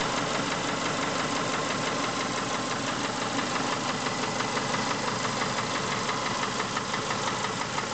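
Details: Subaru engine at steady idle: sharp, regular ticking knock about three times a second over the engine note; engine knock, cause unclear.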